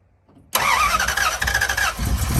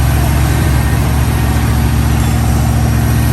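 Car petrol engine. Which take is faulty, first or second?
second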